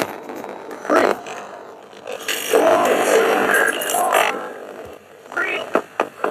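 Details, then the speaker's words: Razer laptop running very slow with CPU temperatures under 50°C and fans spinning fine: audio playback choppy, robotic and crackling, owner suspects a failing SSD despite it testing fine. "So it's going to make some sort of cracking noise. It's not loading up."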